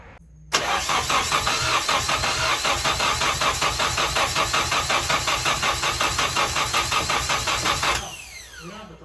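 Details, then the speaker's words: Tyler's Nissan 240SX with a turbo KA (KA-T), in neutral: the starter cranks evenly for about seven seconds without catching. Crank no-start with no spark or fuel, blamed on a bad distributor. "so we back at tyler's uh he had a bad distributor and that occurred to me last night while i was here"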